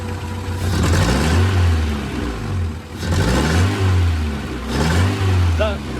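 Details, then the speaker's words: DB1 Honda Integra right after an oil change, now sounding more clattery than before: three part-throttle blips rise and fall with a rough, uneven edge. Part-throttle misfire, cause unknown. "The part throttle misfire."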